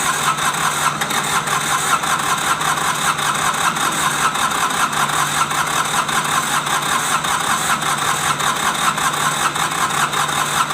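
Steady rhythmic cranking, under two beats a second, goes on for the whole stretch without the engine catching: a hard-starting diesel.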